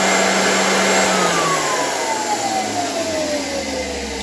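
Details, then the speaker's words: 1923 GE Premier Junior vacuum cleaner running with its belt off: a smooth, steady fan whoosh and clean motor tone winding down, no rattle. This is normal; the noise had come from bad bearings on the dirt brush. "if you take off the belt you'll hear let how less noisy it is that's how it's supposed to sound"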